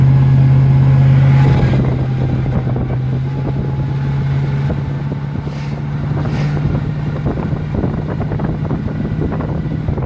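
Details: 2001 Chevrolet Silverado driving: loud low drone with a steady tone near 150 Hz over the engine, heavy wind buffeting; failed transmission groaning under load.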